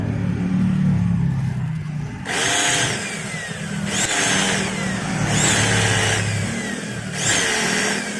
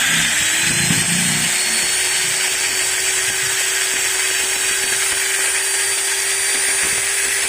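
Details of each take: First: Maktec MT90 grinder motor spun in short bursts with the worn upper pinion gear removed, still a harsh gritty whine, like armature rubbing the stator, with altered vibration: a loose, worn upper armature bearing. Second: Maktec MT90 angle grinder after bevel (pineapple) gear replacement, running at constant speed: a steady high whine with a faint rough edge from the new gears bedding in; it is otherwise normal and should smooth out with use.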